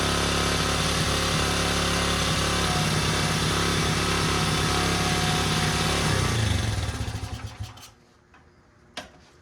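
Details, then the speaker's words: 1977 Honda XL75 single-cylinder dirt bike just revived, running on choke: pops along at a fast steady beat with no throttle response, then fades and dies; throttle bunged up and sticking, slight seepage at float bowl. "Our throttle's all bunged up, which I knew that. And I guess it likes running with the choke pawn."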